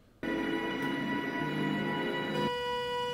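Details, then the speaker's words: DIY 2DOF motion-sim servo motors at power-on in the original setup (Arduino Uno, potentiometers): a steady, buzzy whine near 490 Hz, likely PWM coil whine. The fix was moving to an STM32 F4 with magnetic shaft sensors. "it also did a pretty good job of hiding the noise that it makes when it's turned on"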